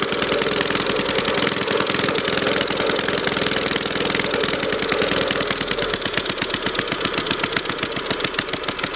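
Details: 5 HP Briggs & Stratton pull-start engine on an air compressor after a carburetor fix: fast, even popping exhaust beat holding steady speed, no misses or surging; running normally.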